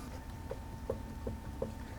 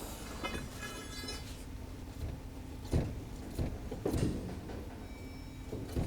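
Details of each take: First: 2012 Lincoln MKZ with front-end clunk over bumps, on a lift: five soft light clunks about 2.7 a second as the front brake caliper bracket on its guide pins is rocked by hand; this play is normal, not the problem. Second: 2012 Lincoln MKZ (3.5L V6) on a lift, rough ride complaint, front wheel levered upward with a steel bar: dull isolated clunks over quiet shop hum, a front suspension clunk before inspecting components by hand.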